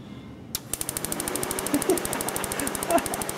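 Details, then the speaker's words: 1999 Subaru Impreza 2.2 liter, no-start, waste-spark system: sharp, evenly spaced snapping ticks, roughly ten a second, as spark fires on all four cylinders with key on and no cranking. "I've never seen a car have spark with just the key on like that. And it's all four."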